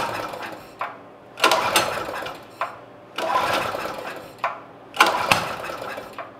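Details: Generac generator unrun for 9 years, with the carburetor reassembled and fresh gas, started in -20 cold with the choke on: the engine rises and falls in uneven bursts about every two seconds instead of holding speed; surging.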